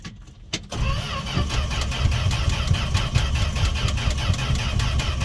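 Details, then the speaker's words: Fargo (Canadian Dodge D100) V8 carbureted truck, unstarted seven months, on jumper cables, pumping pedal: uneven low chugs while cranking, no firing; owner suspects failed fuel pump or perished 1980s rubber parts, ethanol fuel. "fuel pump might be shot lots of not rubber things might be shot from the 80s"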